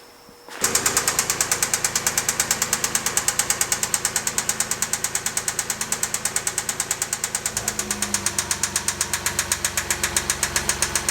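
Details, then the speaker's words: Porsche 987 Cayman S engine idling, heard through a stethoscope with the serpentine belt back on: sharp, evenly spaced metallic knocks reverberating everywhere, a little in the bottom end toward the flywheel; metal shavings in the oil filter point to a spun rod bearing. "I can hear that noise reverberating everywhere you can hear it a little bit in the bottom end especially if your back towards where the flywheel is"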